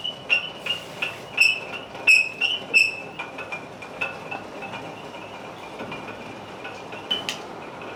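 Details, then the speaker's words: Ceiling fan long run without cleaning or servicing, before overhaul: irregular high squeaks and chirps, roughly one to two a second as it turns; the worn upper and lower bearings need the fan taken down and overhauled. "तो ऐसी आवाज़ अगर आपके फ़ैन में पैदा हो जाए तो ये शेयर शार्ट बेरिंग्स की आवाज़ है। इसके बेरिंग ख़राब हो चुके हैं, ऊपर नीचे के दो बेरिंग होते हैं वो ख़राब हो चुके हैं।"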